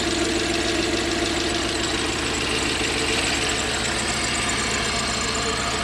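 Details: Toyota 1UZ-FE V8 (Surf/4Runner) running on 4 cylinders, with burnt oxygen sensor wiring also found: rough, loping, stumbling idle with hollow exhaust note; one bank dead, failed ignition coil.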